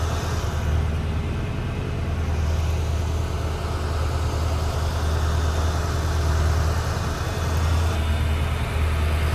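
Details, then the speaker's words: 1993 Ford Mustang GT V8 during EEC-IV cylinder balance test: low rumble held at raised idle, speed sagging slightly as each of the eight injectors is cut in turn; no single cylinder clearly weaker yet. "you can hear that the car is revved up and you'll hear as it goes through each injector it should rev down a little bit then it'll rev back up Rev down a little bit rev back up as it goes through all eight injectors"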